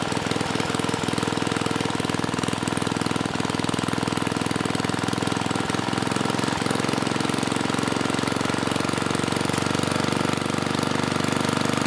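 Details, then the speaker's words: Mid-1980s Troy-Bilt Junior tiller, 3 hp Tecumseh HS35 engine (H35-45593R): full throttle gives only about 2,400 RPM, 3,000–3,600 expected. Steady, even but slow, lazy drone; governor spring tension to be increased to raise governed speed. "when I bring it to Full Throttle we're only getting about 2400 RPM out of this machine and I would expect at least 3,000 if not 3600"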